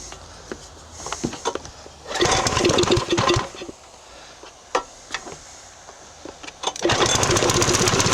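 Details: Briggs and Stratton 2900 PSI pressure washer, previously hard starting, low power and only running on choke, after carburetor cleaning, started on choke; rope pulls, brief run that dies, then catches and settles into steady even running; normal start and run.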